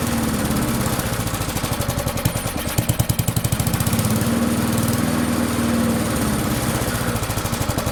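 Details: Barn-find Murray push mower with Briggs & Stratton single-cylinder, on the shop bench after drill cranking: revs high and fast with a hurried, uneven beat. Overspeed from a wrong governor spring; fix is unwinding the spring a little to lengthen it.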